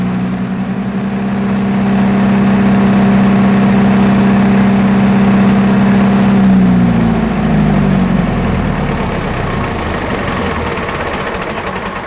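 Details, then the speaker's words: Military surplus diesel generator after years of sitting, gummed throttle linkage freed with penetrating oil: engine revved up and down, strong even drone winding smoothly to idle, no rattles; injection pump seems healthy. "all right as you can hear I was actually able to rev the engine up and down and engine actually sounds pretty healthy I'd say the injection pumps in pretty good shape"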